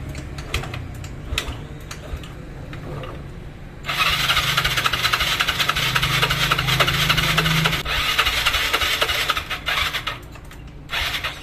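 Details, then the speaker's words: Old Yamaha Mio scooter after a new part was fitted: starter whirrs with rhythmic chatter for several seconds but the engine never fires. No start, later traced to incorrect valve clearance. "Oke teman-teman, motor hidup dan mati lagi ya, masih gagal lagi."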